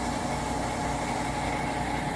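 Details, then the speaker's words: Amana (Whirlpool-built) electric top-load washer after belt conditioner was applied and the washer recalibrated, drain-and-spin running empty: an even motor whir with a steady mid tone, no screech or squeal as it speeds up; normal spin. "should be nice and silent there you go that's what it should sound like running empty"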